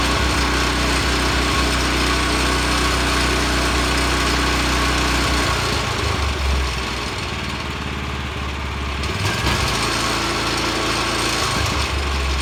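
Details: Vanguard 9 hp single-cylinder tractor engine, final run after freeing sticking throttle lever with WD-40, one-pull start: steady even buzz, brief dip as revs change then recovers without misfiring, some vibration; running healthy.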